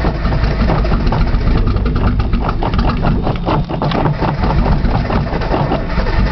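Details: Nissan Z, cold outside, cold start valve found unplugged, solenoid checked, brake cleaner used as starting fluid: fast even starter churn, never catching or revving; cranks but won't fire.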